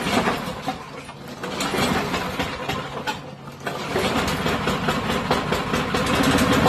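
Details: Neglected old push mower starts after revival and runs rough and uneven, getting louder but with no knocking; still starving a little for fuel, owner assumes some junk remains in the fuel system; oil to be added.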